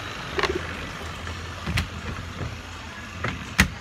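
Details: Mabe twin-tub washing machine on spin after greasing the squealing part: steady low hum of the spin drum running smoothly, no squeal, only a few small knocks.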